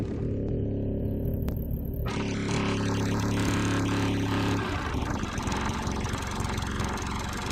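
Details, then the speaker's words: Sears Eager One lawnmower, Tecumseh single-cylinder, after makeshift connecting-rod knock repair, throttle halfway: steady, even run with no knocking from the bottom end; normal running. "Sounds like we got rid of that knock."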